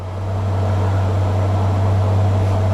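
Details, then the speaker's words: Honda GL1500 Goldwing cold start at about 52°F after a carburetor rebuild, full choke: steady, smooth low hum with an even pulse and slightly high idle, no misses or knocks; normal. "I'm going to fire it up. Like it's idling a little bit high with the choke, which is normal."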